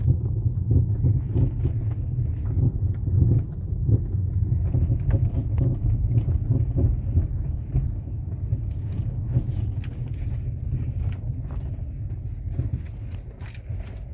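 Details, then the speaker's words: Ford Fusion driving over rough, potholed pavement with loud, irregular "ploc ploc" knocking clunks from the front suspension over road rumble; earlier shops blamed the power steering rack. "beleza galera então é este barulho que tá fazendo no carro muito barulho mesmo né"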